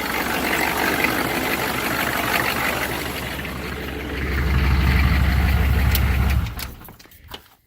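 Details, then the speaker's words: 6.5 diesel started on manual glow plug controller, missing on at least one cylinder with smoke from tailpipe: lumpy, uneven idle before shutdown; coolant entering cylinder, later found blown head gasket, cracked heads and cracked block. "those are some pretty clear signs of one of those three cracked cylinder cracked head or blown head gasket where it's got coolant has access into the cylinder"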